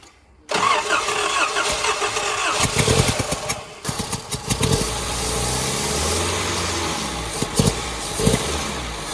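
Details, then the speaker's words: 1989 Nissan 4x4 pickup, four-cylinder with eight spark plugs, 5-speed manual, parked about eight years, tried with brake cleaner. Starter spins steadily for several seconds and it never fires; cranks but no start because no fuel is reaching it. "all right ain't getting no fuel to her so we're going to see if there's any fuel coming up out of the filter right here"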